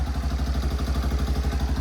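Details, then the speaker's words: Yamaha Big Bear 350 ATV that sat with ethanol fuel and had last run poorly, now revived. Even single-cylinder thump at about eleven beats a second with no knocks or misses; it idles healthily, goes into gear and isn't smoking. "and it runs pretty good sweet does it go into gear oh yep awesome it's not even smoking"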